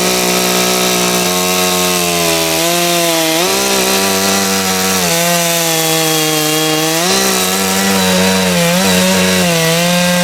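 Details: Stihl MS660 chainsaw after clutch repair, cutting a log, chain fairly sharp: two-stroke screaming at full throttle, pitch dipping under load in the cut and recovering cleanly; strong power, normal cutting.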